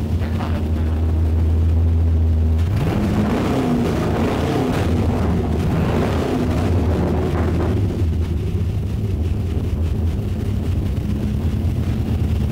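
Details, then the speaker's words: 1959 Chevy Apache pickup with LS3 V8, first key start after full custom rewiring, turbos not hooked up, fuel pressure just adjusted: V8 catches and settles into a deep steady rumble with even firing, no misses or knocking; normal running. "That's one of those moments that I just, in a build, it's just so great to hear it run, to get that milestone under your belt."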